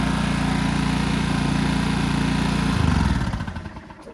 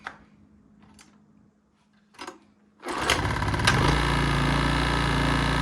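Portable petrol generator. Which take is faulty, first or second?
first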